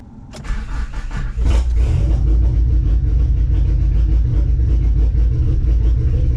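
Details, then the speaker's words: Mitsubishi Conquest (G54B engine) on a wet day, AFC to be zeroed and fuel pressure about to be adjusted: fires quickly and settles into a deep, uneven, loping cam-like idle right after startup; lumpy cold-start idle, cause not found. "i wonder why it sounds like i got a cam when i first started up"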